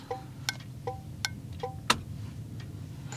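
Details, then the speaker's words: Third HM 552 thermal turn signal flasher replacing the factory 224 on an '81 Chevy, key on, engine off, left turn; crisp evenly spaced ringing clicks about one every 0.7 s: normal turn signal flasher clicking. "here's the third 552 leftand turn that one's pretty nice as [Music] well"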